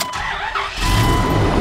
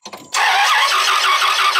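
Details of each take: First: Dodge Ram 2500 V10 after sensor replacement: short crank, catches quickly and settles into a steady, even idle with no misses, knocks or leaks. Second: Dodge Ram 2500 V10 no-start, cranking while testing reinstalled camshaft sensor with a tester: starter spins engine at an even three beats a second for about four seconds, never fires; crank sensor later found failed.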